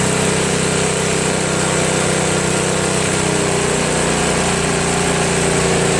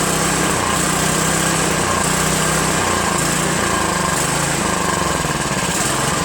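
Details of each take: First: Craftsman snowblower, after a replacement gasket was fitted (not leaking) and the bottom carburetor screw was adjusted: the small single-cylinder engine holds a steady, even buzz at constant speed with no hunting or surging; it runs cleanly. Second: Craftsman OHV 5.5hp 26-inch dual-stage snowblower before repair, after a quick bowl clean and linkage adjustment: engine speed hunts up and down about every second, won't idle without stalling, then dies; surging from faulty carburetor, later replaced.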